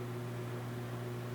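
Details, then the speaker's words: Lexus IS300 clutch pedal pressed very slowly after replacing worn plastic pedal bushings with new Toyota ones and greasing: no squeak, only a low steady hum and faint spring sound. "and all you can hear is the spring it's gone so that fixed it"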